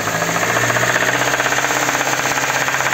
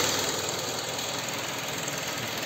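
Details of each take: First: Kia K5 petrol engine before repair: sharp, regular metallic knock roughly three per second hammering over the running engine; worn connecting rod bearing knocking, later replaced from below without engine teardown. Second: KIA K5 after replacing connecting rod bearings from below without engine removal for rod knock, revved to about 4000 rpm then idling: steady, even idle with no knock above general mechanical clatter; bottom end sounds healthy.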